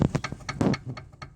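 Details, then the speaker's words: 2003 Volkswagen Jetta, front driver's side outer tie rod end rocked by hand: dull clunks about three a second with up-and-down play, ball socket worn giving extra clearance; worn outer tie rod end, being replaced. "And you hear that noise. Also, if you go up and down with it, there's play in here. Now there's a little ball socket here. So what happens is this ball rubs down and there's more clearance in there."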